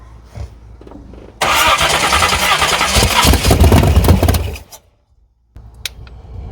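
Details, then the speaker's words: 383 small-block V8 swapped S10 Blazer with MSD ignition, timing just backed down: fast even cranking about three seconds with a few catches, then dies; fires but won't keep running, carb bowl likely low on fuel. "sounds like she's going to fire though well I mean it is fireing I don't know what the hell I'm talking about it is fire"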